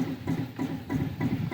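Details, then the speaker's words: Smoke-N-Seer pellet grill on its stock controller, heating fast past 121 with door open while dumping pellets: hollow, regular pulsing about three beats a second, like a muffled thump; source unknown, owner doubts it is the auger. "i couldn't get my phone fast and it's it's climbing like crazy but listen to this weird noise i have no idea what it's doing"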